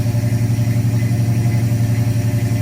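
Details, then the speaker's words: 1970 Dodge Challenger with FiTech fuel-injected V8 (believed 440), idling after new spark plugs cured bad skipping: even, regular exhaust pulse with no misses or stumbles, heard from behind the car; healthy smooth idle. "Oh yeah. Oh yeah. Let's go listen out back. Sounds pretty good to me."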